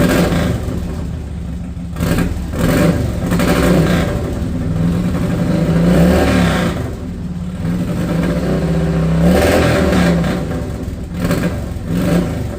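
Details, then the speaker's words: Harley-Davidson Dyna Wide Glide, fuel-injected, sat a couple years, just fitted new Quantum fuel pump kit, recorded without mic: V-twin revs unevenly with occasional exhaust pops; owner plans fuel treatment and injector cleaner for the popping. "Got a little popping carrying on, but we're gonna get some fuel treatment in it, some cleaner to clean the injector up because this is a fuel injected one."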